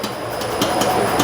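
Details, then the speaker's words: Hyundai Santa Fe shock absorber (strut rod) making loud sharp hollow clacks, several per second; unit removed and bench-checked part by part, all looked fine, yet it still knocks internally; faulty shock absorber causing suspension clunk, swapped with another Santa Fe's shock to confirm. "O barulho faz na árvore do amortecedor. Tá? Essa árvore do amortecedor faz barulho, faz um barulho grande."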